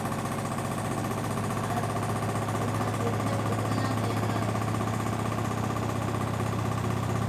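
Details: LG 1007 SNW 7 kg washing machine: heavy rhythmic thumping about three times a second over a constant drum hum, with horrible banging and strong vibration.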